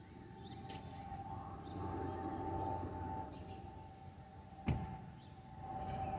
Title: Delta Airlines Airbus A319-114 N364NB DL2498 LGA-DTW (FOPP whistling sound)